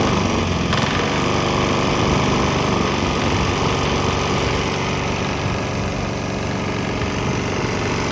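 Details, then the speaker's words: Swan X 165F Chinese single-cylinder diesel on a 50-50 used motor oil and diesel mix: earlier bucking and stumbling cleared after the transition, now a steady even chug with no misses or knocks; normal running. "But hey, look, it seems like it smooths out a little bit. There was kind of bucking and stumbling, but I think it cleared up after it transitioned to the straight diesel motor oil mixture."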